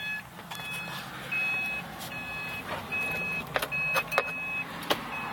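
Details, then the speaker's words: 2011 Subaru Forester XT, key on and driven without seat belt fastened: steady repeating high chime about one tone per half second, the seat belt reminder, before disabling it. "every time i drive it without the seatbelt on i've got that pesky chirp and i'm going to show you how i turned it off"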